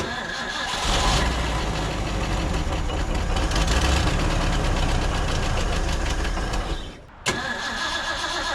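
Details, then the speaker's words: 1950s Ford F5 tow truck, long abandoned outdoors, with the air filter refitted: the engine catches, runs unevenly for several seconds, then dies and coughs once. The carburetor is suspected, with fuel leaking from the accelerator pump and gas all over the engine. "I'm thinking that this carburetor is probably the culprit now"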